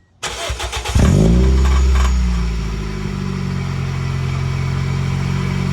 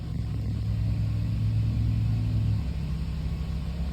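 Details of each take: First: Muffler-deleted Toyota Echo cold start: starter cranks, engine catches, then a loud, slightly uneven cold idle with a metallic buzz; exhaust rattles badly, sounding like a cracked flywheel ring gear, heard from under the front quarter panel. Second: Toyota Echo after maintenance, exhaust reassembled without a clamp: low even engine rumble holding steady then easing off, no knocks or ticks; smooth and healthy.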